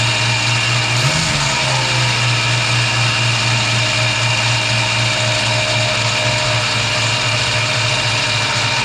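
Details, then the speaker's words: 1965 Mustang 289 V8 after camshaft replacement: settles into a steady even idle with constant low drone, no knocks or misses; normal idle. "whoops too far well anyway you get the idea it actually runs so that's it for now"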